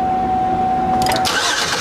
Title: No Start Diagnostics using an Incandescent Test Light